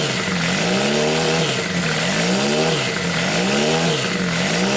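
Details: Homemade four-cylinder CD125four engine built from a Monkey, indoor start test, head gaskets sealed against blow-by; revs rise and fall cleanly with blips about every second, no misfire or knock. Normal running.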